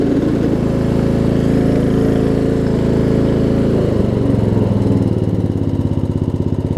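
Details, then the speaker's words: Murray Select 42-inch 16.5 hp riding mower after gas tank install, idling down before shutoff: drops from steady fast idle to slow even firing pulses without a skip at low RPM; normal low idle. "It's not because the engine's running poorly. I mean, you can hear the engine's not even skipping a beat, even at low RPM."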